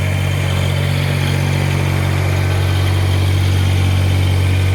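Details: Kubota BX1850 diesel tractor, just after replacing both fuel filters and bleeding air from the system to cure earlier low idle and sputtering: smooth, regular diesel clatter holding a steady idle with no sputter or dips. Normal idle.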